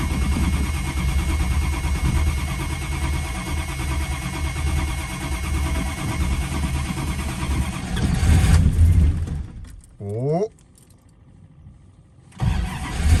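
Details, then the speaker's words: Old Chrysler (Mopar) not started for two to three months, no start: long, even cranking without a single firing stroke, then a pause and a brief whirr; it was out of fuel and ran once gas was added. "now to be honest with you guys i think it just might be out of gas surprise surprise"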